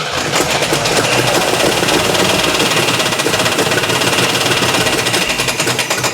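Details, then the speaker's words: 1980 Camaro Z/28 V8, first fire with timing advanced far off and a missing plug lead: loud ragged stumbling run with uneven popping, no steady rhythm; hard misfire. "Yeah, that sounds pretty terrible. On that note, that's progress. We now have a key, a steering wheel, the motor cranks, it's got spark, it fires, and needs a lot of work."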